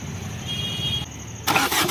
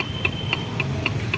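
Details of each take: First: Maruti Suzuki Swift Dzire after engine repair for worn bearings and thrust washers, with fresh oil: brief even cranking, starts on first try, settles into steady smooth idle with no knocking; healthy start. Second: Maruti Suzuki Swift Dzire, engine opened with worn bearings: sharp, even ticking knock about four times a second over engine hum; crankshaft end play from a thrust washer fault, possibly missing or only one fitted.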